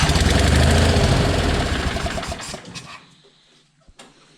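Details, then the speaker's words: John Deere 420 parts-unit twin, with a known-good spark plug and wire from a running 318 fitted: loud, lumpy chuffing about three beats a second that fades and dies, still on one cylinder; likely the coil, not plug or wire. "Sounds like it needs a little bit of choke. Doesn't sound any better, so it is not the spark plug or the spark plug wire. So that tells me it's probably the coil."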